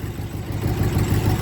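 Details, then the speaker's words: Worn 1966 Ford Galaxie 500 LTD with tired 360 V8 (originally 289 car), likely high mileage: low, lumpy idle with uneven breathy pulse, lifter okay but heavy blow-by increasing as it warms, slow to respond. "you can hear that lifter runs okay it just like I said tons of blow by as it warms up it'll really start po pumping out Burns"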